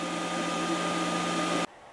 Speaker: the fans started to get really quick so this is part of the shutdown cycle it's cooling everything down